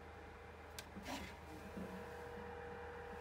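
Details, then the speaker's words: Trotec dehumidifier after disassembly and cleaning for growing noise; soft steady fan whir, faint even hum, no rattle or scraping, quieter than when new. "okay it's slightly maybe a little bit echoing but jesus it was never that silent not even when it was new"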